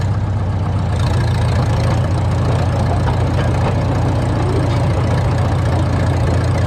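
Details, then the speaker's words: 1952 Caterpillar D2 crawler diesel idling: slow steady even chug, no knocks or misses; normal diesel idle, steering clutches still frozen. "well the steering clutches are still frozen but it's nice to hear it run again"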